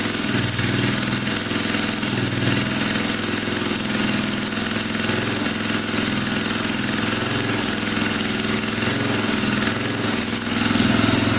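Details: 1980 power tiller (rotovator) with Briggs and Stratton engine, running after spark was restored; carburetor cleaning may not be needed. Small engine chugs at a steady, fairly even beat with no clacking or misfire; normal running.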